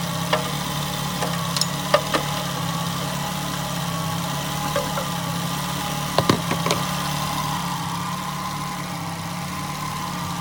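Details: Nissan Altima, exhaust manifold crack checked for leaks: steady, even idle with smooth low hum, no ticking or puffing from the exhaust; idles normally.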